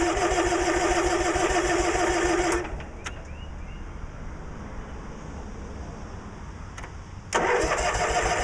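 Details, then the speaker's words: Cub Cadet 1862 garden tractor, running premium gas with Sea Foam, low on fuel: steady rapid starter churn, pauses, cranks again but won't fire; owner suspects flooding or the seat switch, unconfirmed. "all right well let's see if she'll crank over that sounding better come on might be flooded"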